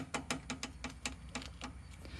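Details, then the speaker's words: Talon X 8-inch portal L&W arm after adding ground-down washer shims; the inserts still aren't flush against the ball, so rocking the arm gives a quick run of sharp, uneven clicks from the remaining spherical joint play. "there's still a little bit of wobble in there as expected because uh those things are a little loose i ground them down some and they want to go too much"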